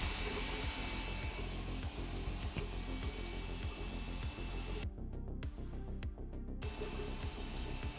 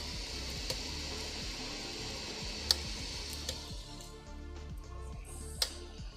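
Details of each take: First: Sovol SV06 Plus 3D printer printing, audio unfiltered. Soft, steady motor hum with light stepping patter as the head moves, and no scraping or grinding. Normal printing noise, reasonable for its price range. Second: Sovol SV06 Plus 3D printer extruder: sharp irregular clicks every second or two over printer hum after tightening the extruder tension, on long filament runs; extruder skipping, owner suspects tension or print speed, cause unclear.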